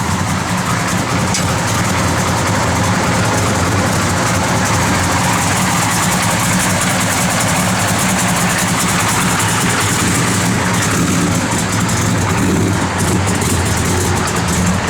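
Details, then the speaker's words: 1971 Chevrolet Chevelle SS with a 496 ci big-block V8, Holley 4-bbl, headers, HEI and dual exhaust: a deep, steady idle rumble with no ticks or knocks, clean and healthy. "Again, good running big block, guys. This thing hits. This is a good running son of a gun right here."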